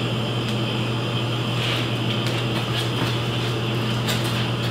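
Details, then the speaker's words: Beverage-Air UR30GE commercial refrigerator compressor test run after capacitor and relay/overload checks, before reassembly; steady low hum, even run, no clicking or stalling, compressor running normally and cooling. "I'm not hearing that click no it's not clicking anymore"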